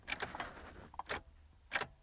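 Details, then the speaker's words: 2012-2016 Impala/Limited 9th gen shifter, key stuck in ignition repair; a few sharp clicks as the lever goes into park and lifts the park switch, letting the key come out: park switch clicking normally. "now you can hear this is making contact it's lifting up the switch you can hear it click"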